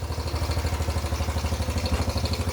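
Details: Fully rebuilt, nearly 40-year-old Yamaha Badger YFM80 single-cylinder ATV just after first start, choke off, burning off muffler paint: even putter about ten beats a second, no knocks or misses, valves quieter; normal idle.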